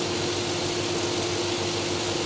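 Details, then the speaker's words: Chevrolet Tahoe, 4.8 V8, quiet exhaust: soft, steady, even hum at idle with no knocks or misses; very quiet, normal idle. "she's awful quiet she needs some exhaust exhaust on everything is what I say man"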